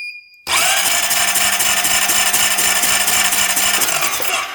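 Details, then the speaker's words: 2008 Honda Rancher 420 ATV cranked to check for spark with the throttle position sensor disconnected and no pulse reaching the coil: high starter whine with uneven compression pulses about four a second, never fires; no spark, cranks but no start. "nothing at all let's see when I if I hold it if I get anything no spark"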